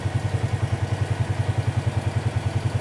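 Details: 2018 Polaris Sportsman ACE 570 after full top-end rebuild (valves, stem seals), warm idle as coolant reaches about 199°F and fan kicks on: even single-cylinder thump about ten beats a second, no knock or rattle; normal healthy idle.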